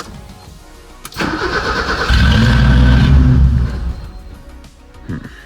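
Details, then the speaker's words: BMW E30 with M10 engine, injectors and idle control valve checked: the starter catches, the engine fires and swells briefly on throttle, then sags and dies right away. It later idled, poorly, with the MAF disconnected, so the MAF is suspected. "Dies right away."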